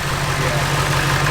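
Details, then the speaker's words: K20 truck with Duramax diesel swap, no throttle response yet: smooth, even diesel idle with a steady low drone, no knocks or misses; quieter than expected and sounds healthy. "truck sounds good though i thought we thought it'd be way way louder"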